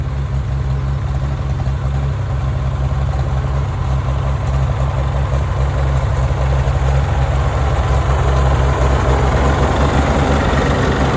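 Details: Farmall tractor (1949 H or 1968 656) being sorted for fuel issues and cutting out, at a deep, steady idle with no stumbles, knocks or hunting after carburetor adjustment; it had barely run over 30 seconds before. Owner plans a fluid flush and fuel tank work. Normal idle.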